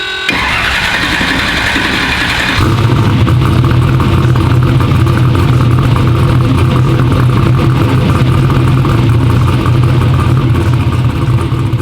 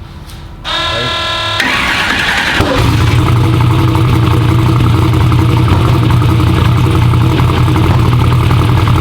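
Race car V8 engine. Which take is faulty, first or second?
second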